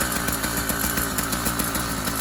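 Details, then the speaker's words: Brand-new YD100 two-stroke kit engine on a Kent Bayside Cruiser bicycle, still breaking in so piston rings and cylinder heat up and seal; fast idle popping slightly unevenly but steady; normal break-in idle. "this one's running as they do brand new a lot of times they like i said a moment ago they want a little break in time for the piston rings to heat the cylinder and all the rest of the parts will get a little heat in them and seal"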